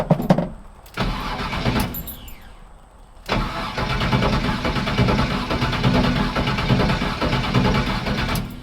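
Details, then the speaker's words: Iron Man project engine that previously misfired: steady cranking rumble for several seconds, never catches; crank no-start right after replacing distributor cap without moving distributor; timing to be checked with timing light, cause unconfirmed. "can't even get a start up now. I didn't even move the distributor."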